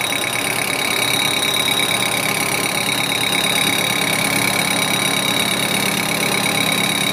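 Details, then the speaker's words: Facing cut to remove mill scale from a tool post plate at about 550 RPM with a Sandvik insert. Harsh high ringing over the cutting hiss because the cut is interrupted. "so it's ringing cuz it's an interrupted cut and then we get in about here it'll be continuous the sound will [Applause] change"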